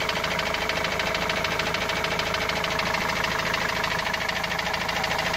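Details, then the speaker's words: Opel Vivaro/Movano turbo diesel van, sat unused after the noise began two to three weeks earlier: a steady hammer-like knock of roughly three beats a second over the idle; engine knocking, source not yet found. "وهذا الصوت ما عم نعرف منين الصراحة، صوت مثل المطرقة يعني."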